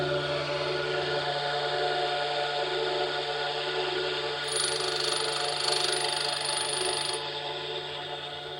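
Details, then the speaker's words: Tool grinder sharpening an endmill's 20° secondary clearance with a Norton CBN wheel used for the first time: steady motor hum with soft, even shushing hiss rather than a grinding noise. Normal CBN grinding. "strange. It doesn't make a grinding noise. It makes sort of shushing noise. If that makes sense to you fellows."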